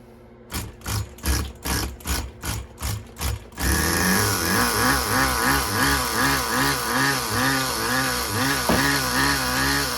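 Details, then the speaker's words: Tamiya TGS-R nitro RC car, first startup after engine rebuild, high-speed needle at factory setting: pull-start bursts, then a high buzzing two-stroke holds a steady, lightly wavering idle, very smooth; owner may increase idle gap; normal running. "listen how smooth that is you guys hear how freaking smooth that is"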